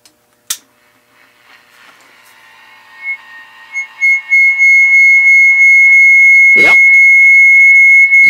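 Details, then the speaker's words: Radio test before swapping the 1 MHz crystals and changing capacitor and voltage values: a thin whistle near 2 kHz swells and fades about three times a second as two oscillators sit slightly off frequency and beat. "closer frequency than last time but you can still hear it beating"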